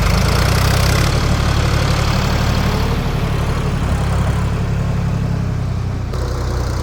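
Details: 1973 Ford 4500 industrial diesel backhoe, revived from scrap, digging stumps under load: low steady diesel drone with even beat, no knock or miss; machine ran great all day.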